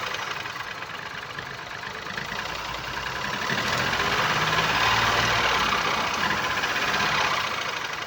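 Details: 2019 Ford Focus IV 1.0 EcoBoost (998 cc, 92 kW/125 PS, petrol, engine code B7DA, 91,787 km): three-cylinder idle with a steady lumpy beat and one dead stroke per cycle as revs rise and settle, from no compression in cylinder 1.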